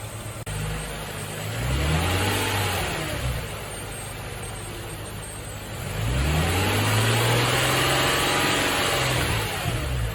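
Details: Nissan Fairlady Z Z33, VQ35DE V6, automatic, 310,000 km, just after a DIY engine overhaul: two clean, smooth rev blips rising and falling evenly with a steady idle between them, no knocks or rattles. A healthy engine.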